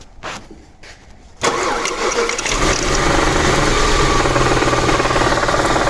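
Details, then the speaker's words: Audi A8 brought in with a suspected engine knock: engine catches and settles into a fast, fairly even light rattle near four a second over idle, from worn bushings of the intake manifold swirl flaps, not a bottom-end knock. "найдено причина стука вернее это был не стук а дрес а именно во впускном коллекторе у нас есть такая ерунда вихревые заслонки"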